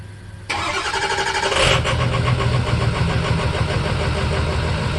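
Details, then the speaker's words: 2005 Ford F-350 6.0 Power Stroke diesel, cold start (overnight about 30s) the morning after adding Archoil AR9100 for suspected failing injectors and rough cold starts; brief crank, catches within a second, settles to an even diesel idle clatter with no stumble, a clean start. "you know it's not the coldest of a cold start obviously but that worked pretty damn good"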